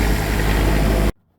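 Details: Cummins Onan RV QD 8000 diesel generator on a Jayco Seneca RV after oil, fuel and air filter service, no leaks: about a second of steady even drone with no knocks or misses before it cuts off; running normally.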